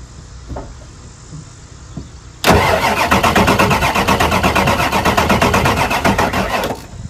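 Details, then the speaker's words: 1999 Ford F-250 Super Duty 7.3 diesel service truck that sat a few years cranks at an even beat but never fires. It cranks better, maybe building low-pressure oil to the high-pressure pump or fixed by a reset relay. Heavier batteries needed; crank sensor suspected. "sounds like it's cranking better maybe it's starting to build low pressure oil up to the high pressure pump"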